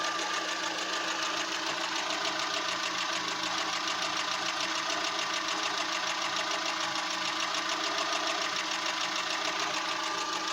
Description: Fiat punto idle is really rough , I've changed plugs , Air filter , leads , used Redex and even replaced mid exhaust section , drives fine but idle really shakes engine at random intervals